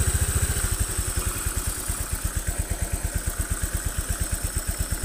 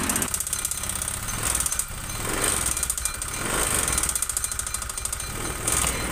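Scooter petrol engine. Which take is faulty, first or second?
second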